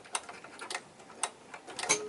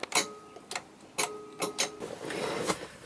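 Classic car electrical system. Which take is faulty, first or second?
second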